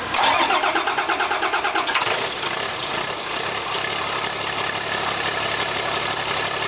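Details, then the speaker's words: Bus 240 diesel engine, first start after new cylinder head, no radiator, coolant or water pump, fuel and oil pressure primed: quick cranking, fires and settles to even steady idle, no knocks; normal start and idle. "That was the engine starting for the first time after putting a new cylinder head on it and block."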